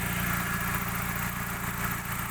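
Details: 2000 Suzuki Baleno DX manual, engine idling with the hood open: steady, even idle with a smooth low hum and light ticking on top, no knocks or stumbles. The engine sounds healthy.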